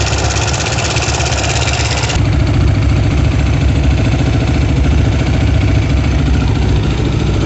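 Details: Kovi Pro KT, zs177mm single-cylinder, after a new timing chain: it catches and settles into a steady, firm thump of about four beats a second, with no rattle or knock.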